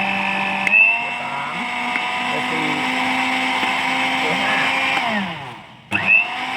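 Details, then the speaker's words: Philips blender after replacing the bearing that let plastic parts knock while spinning: smooth steady motor whine stepping in pitch across speeds 1 and 2, quieter and softer, no knock or rattle. "ผมคราวนี้เราจะมาใส่ดูว่าไอ้เสียงดังเมื่อตะกี้มันหายไหปั๊บอฟังเสียงดูนะครับอ้ายังไม่ได้เสียบปั๊กนะตลกะช่างครับเสียงเบาขึ้นนิ่มขึ้น"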